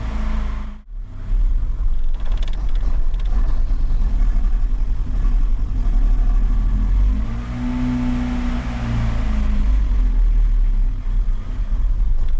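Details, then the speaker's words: Vauxhall Cavalier, engine possibly over 200,000 miles, started after topping up the oil; catches, then revs unevenly, surging and sagging; owner suspects petrol contaminated with diesel; rough running. "Anybody would thinking it was running on contaminated fuel. Yeah, I happened to get donated four drums of petrol with a bit of diesel in it and I think there was a little bit more diesel in it than I thought."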